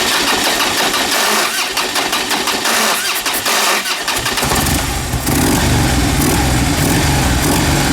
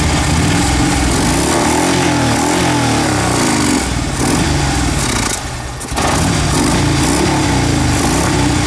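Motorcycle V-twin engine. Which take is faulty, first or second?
first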